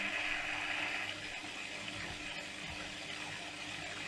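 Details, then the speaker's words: Oase Biomaster 850 Thermo canister filter on a 120x50x30cm aquarium: gurgling, splashing water with uneven bubbly bursts over steady flow as trapped air burps out, persisting since new despite porous new media; trapped air likely from flow restriction. "और अब यह video विशेष रूप से फंसे हुए हवा के शोर के बारे में होगा मैं इसे burping कहना पसंद करता हूं, जब फ़िल्टर बस एक ही बार में बहुत सारे हवाई बुलबुले उड़ा देता है,"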